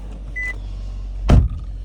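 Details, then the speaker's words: 2018 Nissan Altima SR after replacing the passenger-side engine mount that caused a rattle under the dash and glovebox: a low, steady idle hum with no buzz or rattle, plus a door thunk and chime; normal idle. "Can see she sounds good now. No more rer sound."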